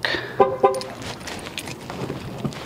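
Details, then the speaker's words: 2016 Dodge Caravan sliding door after lock actuator replacement, which fixed buzzing on locking: two quick horn chirps with short lock clunks and no buzzing from the door; normal sliding door lock actuation. "unlock one more there you go look no more sounds all right unlock all right that's it there you go no more sounds"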